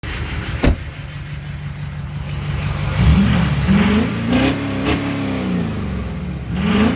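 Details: LMM diesel revving up and down with an uneven, lumpy beat through the revs; cylinder 7 is misfiring.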